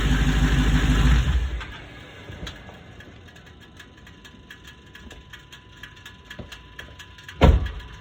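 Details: 2021 Hellcat V8 settling to idle with a steady knock about three times a second; rod knock diagnosed one year later.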